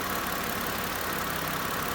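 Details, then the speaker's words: 2010 Ford Fusion just after throttle body replacement (previously running rough, dying), check engine light still on: steady, even idle with no hunting, surging or misses; normal idle. "started up okay walk around here everything looks"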